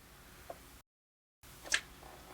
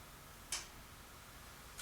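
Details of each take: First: Realistic LAB-420 turntable, long stored, running at 33 rpm: quiet room with sharp, uneven ticks from the changer mechanism cycling at one spot when it shouldn't; start/eject not working. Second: Realistic LAB-420 turntable, stored for years, after repair: two crisp mechanical clicks about a second apart as the arm lifts at the end of an LP and returns; auto-return working properly.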